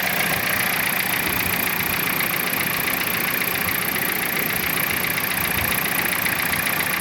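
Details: Dodge Caliber at idle with a fast, even metallic rattle of about four beats a second from loose timing chains. Cam sensor codes P0365 and P0340 pointed to the sensors, but they tested good, suggesting cam/crank misalignment from a mechanical chain problem.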